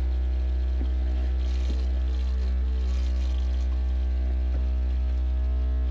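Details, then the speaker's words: Ford Bronco (6th gen) upgraded audio, subwoofer playing a problem frequency around 60–63 Hz: steady deep bass hum with a hard buzzy rattle riding on it, traced to a loose seat belt vibrating in sympathy. "oh it's this it's that it's a seat belt that's stupid"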